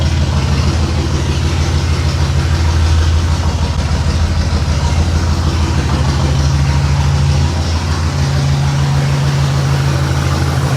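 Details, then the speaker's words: 1989 Pontiac Trans Am GTA, sat about 17 years, deep lumpy uneven idle after correcting two swapped plug wires, no intake popping but not firing on all cylinders; one injector later found without pulse; misfire, rough idle. "I don't think it's running on all of them though. It's the best it's run though. And it fired up faster."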